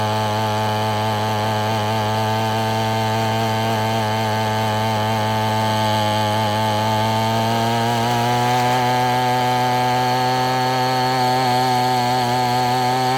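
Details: Abandoned weed eater after crimping the wrong-side fuel line so it draws only from the correct side: steady high buzz with a slight rise midway, no misses or surging; running cleanly.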